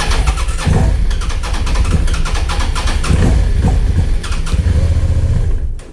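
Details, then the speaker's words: Suzuki SV650 auction motorcycle with weak battery, started holding the clutch: engine catches, runs ragged with surging pulses, then dies and won't hold idle; still a fuel issue, owner suspects. "So off camera, I did manage to get it started, and it started and then it died. It's still a fuel issue,"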